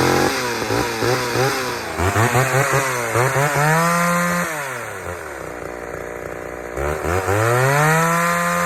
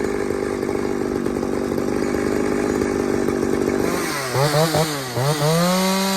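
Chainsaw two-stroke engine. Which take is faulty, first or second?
second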